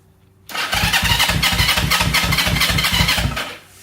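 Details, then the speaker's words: 1970 Honda CL350, sitting 42 years, starter activated by grounding the yellow/red starter wire with key on: starter spins the engine cleanly and evenly, about three compression pulses a second, strong and steady; starter working fine. "so in theory we should be able to just hit the key on and then ground that wire to The Handlebar and activate the starter"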